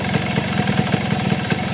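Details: Yamaha two-stroke with a DIY electric starter motor chain-driving a gear welded to the magneto, started with throttle open: starter disengages and the magneto keeps turning; even, crisp popping at steady idle with no starter whir left; running healthy.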